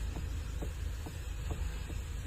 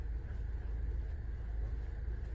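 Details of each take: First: Mahindra Thar ROXX, steering wheel being turned: dull khut-khut clunks about twice a second over quiet idle; loose steering column 14 mm bolt and rack bolt, fixed by thread lock and tightening. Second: Mahindra Thar ROXX after steering column 14 mm bolt, engine-side bolt and steering rack bolt were refitted with thread lock and fully tightened: only low steady engine hum, previous knock gone; quiet steering, no knock.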